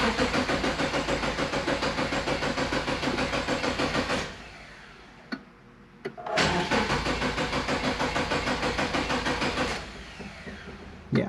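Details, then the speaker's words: Subaru Impreza GF8 that won't start. With 5 gallons in the tank, no fuel pump hum is heard and the gauge reads below empty. Two long bursts of rhythmic cranking at about three turns a second never catch. No fuel reaches the engine; a fuel-related fault is suspected. "Yeah, we got nothing. Let's see if we spray a little starting fluid in there, what'll happen. Okay, so we got no fuel coming in here."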